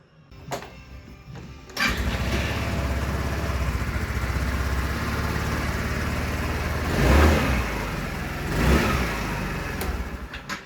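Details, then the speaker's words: Wolf EX-150 scooter, GY6 157QMJ 150cc four-stroke single, after repair: starts almost instantly into a steady even idle, then two clean revs that rise and settle smoothly; running healthy. "I know it may be getting repetitive by now, me just starting it, running it, showing off how good it is, but come on!"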